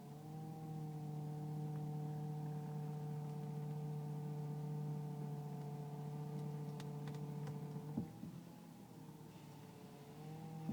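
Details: Car with power steering whine turning left or right below 10 mph, quieter at speed; fluid full, no leaks or foam, slight reservoir jump, belt normal: low steady whine about eight seconds, then dropping and wavering; pump or rack suspected.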